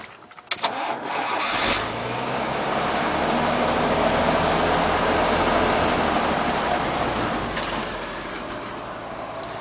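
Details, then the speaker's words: 1981 K30 one-ton single-rear-wheel truck, 4.3 V6 swapped in for the 292 inline-six, NP833 overdrive four-speed, in neutral: cranks, catches and settles into a rough, puffy idle; small exhaust leaks. "like I said it's got some exhaust leaks but we're getting there"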